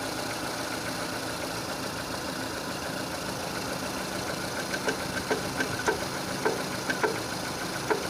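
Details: 2006 Renault Scenic 2, K4M 1.6 with automatic, 202,000 km, warming up: over a quiet idle sharp uneven knocks start at about one or two a second from low in the engine, a knock that grows clearer as the engine heats.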